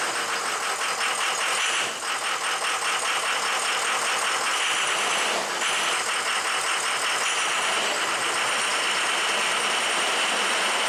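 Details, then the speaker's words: Diesel truck engine after piston replacement and rebuild with O-ringed heads and ARP studs, first start: clatter with an uneven, lumpy beat and sags in speed. Runs a little rough, probably air in the fuel and oil systems. "it's running a little rough uh but as you can tell it's hard up probably just a little air in the fuel system and the oil system"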